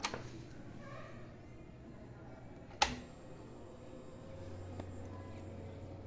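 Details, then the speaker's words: Yamaha YZF R15 fuel-injected motorcycle that shut off and won't restart: key on gives a click, then a faint steady low hum as the fuel pump primes, so the pump activates normally and is ruled out. "se escucha si se escucha activar la bomba lo que quiere decir que está activando bomba"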